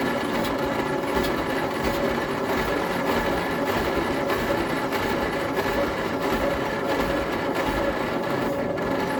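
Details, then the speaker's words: Leyland FG COE truck, exhaust valves dead on cylinders 2 and 4, battery reconnected: slow, labouring cranking that never fires, the starter slowing after a couple of cranks; battery not thought to be the problem, weak starter suspected, unconfirmed. "I think that starter, once it's cranked over a couple of times, actually slows down, which is not going to be helping."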